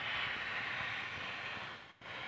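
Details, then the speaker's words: Refrigerator being vacuumed before a freon recharge with simple tools, compressor running: a steady airy hiss as air is expelled from the tubing to create a vacuum, which is normal. "karena ini fungsinya untuk membuang angin yang ada di dalam tabung supaya hampa udara."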